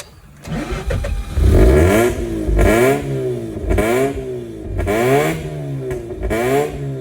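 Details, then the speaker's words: 2004 Mazda RX-8 track car with a makeshift intake manifold, just after a mass airflow sensor replacement and a cleared code: repeated throttle blips sag between, and it stalls when throttle is released; rough idle, cause suspected, not confirmed. "Let me see if I'm gonna slowly let go. Yeah, it wants to die. Yeah, it just dies."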